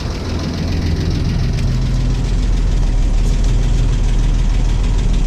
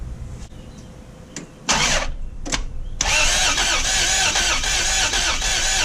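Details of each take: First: 1989 Toyota FJ62 Land Cruiser straight-six, barn find parked about ten years, 291k miles, first running after revival: light quick tick about four per second over steady idle; valve train tick from bad valve adjuster screws. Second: 1989 Toyota FJ62 barn find, plug wires off, cranking for oil pressure and compression test: starter spins in short bursts at even, unlabored speed with no drag.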